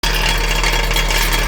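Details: Honda CR-V running: loud, continuous metallic buzzing rattle from under the car. The customer thought it was the shaft, but the mechanic traces it to the catalytic converter shield, with the converter broken into chunks.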